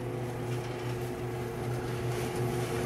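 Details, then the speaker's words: GE dryer after adjusting a bent tub corner that was rubbing and squeaking: steady low hum with soft rhythmic drum rumble, no squeak, nice and quiet, normal operation with top off. "see now it's nice and quiet so what we'll do is i'll put the top on and retest it again"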